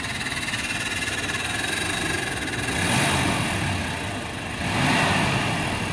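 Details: 1994 Chevrolet Impala SS V8 idling with a steady light tick, about four a second, over the engine note.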